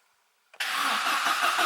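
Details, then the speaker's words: Opel Kadett GSI (Astra mk2) with new battery fitted after the old one died: starter spins engine at steady even rate but it never fires; gasoline present, no spark found; crank-no-start, cause not confirmed. "Okay, that sounds better. I have no idea. Yeah, there's gasoline in. No sparks yet, I believe."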